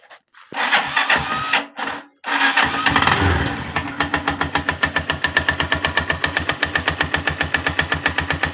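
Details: 162FMG-G single-cylinder engine: catches after a couple of start attempts, then sharp regular tapping about four times a second over the idle; source unknown, knocking quieter when the machine is tilted to one side.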